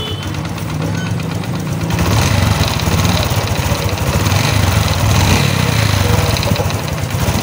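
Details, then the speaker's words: Honda XRM125 FI engine revving: busy, uneven mechanical knocking over the exhaust beat; mechanic suspects piston knock, checking timing chain slack and connecting rod, another shop said connecting rod is damaged. "So ganito may Diaz, meron ang knocking yung kanyang sa piston."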